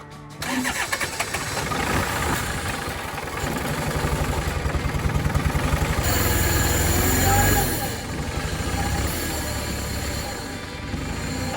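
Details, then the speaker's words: Diesel tractor that had run out of fuel, after refuelling, bleeding the lines to the injectors and heating the glow plugs: cranking catches and it settles into a steady, even idle clatter at about four beats a second; running normally. "hey that is a huge victory for me but for most people who have any diesel experience that's probably one of the easiest jobs you can do"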